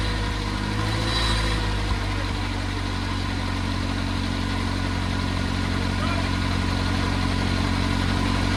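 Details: Oliver Cletrac OC3 crawler warming up after a manifold gasket change and carburetor adjustment: a steady, even low chug at fast idle, about four beats a second, with no knocks or stumbles and barely any smoke. Normal idle.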